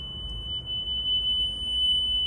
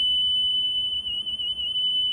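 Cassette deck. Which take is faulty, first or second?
second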